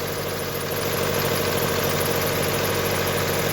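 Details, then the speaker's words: Mitsubishi Outlander 2010, 2.0 petrol 4B11, odometer 207 (possibly rolled back), high oil use, piston/cylinder 4 wear suspected: rough idle with rattling knock, droning rumble and faint pulley whistle; cause suspected, not confirmed. "Что за шум Что за грохот вот так вот шумит то ролик какой-то свистит смотреть"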